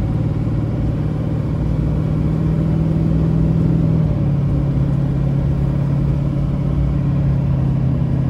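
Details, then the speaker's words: 2006 Chevrolet Silverado 2500HD LBZ 6.6 Duramax diesel, 91k miles, Allison six-speed, accelerating uphill: steady deep drone with smooth pitch drop at shifts, no flare, clunk, hesitation or slip; healthy engine and transmission. "we'll head up the hill you can hear the lbz run as well as the allison six speed run through the gears here how it doesn't shift hard hesitate or slip at all so"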